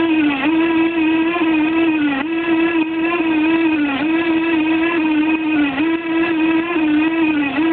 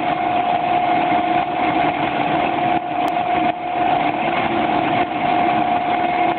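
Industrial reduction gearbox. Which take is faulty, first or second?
first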